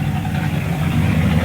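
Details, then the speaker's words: Mercedes CLK55 AMG (M113 V8) just started after breather hose replacement and intake work; loud, lumpy uneven idle with heavy smoke, owner doesn't think there's a vacuum leak; rough idle, cause unconfirmed. "Running a little rough and definitely smoking."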